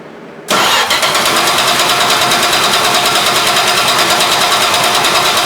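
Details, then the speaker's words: 1973 Plymouth Duster 225 Slant 6, first start after swapping the 1-barrel for a Holley 350 cfm 2-barrel on an iron intake with adapter plate. It catches after cranking and settles into fast, sharp idle ticking. Exhaust leak from an untightened intake-to-exhaust manifold bolt. "It filled up and ran. Except I heard an exhaust leak because I didn't tighten down this bolt over here."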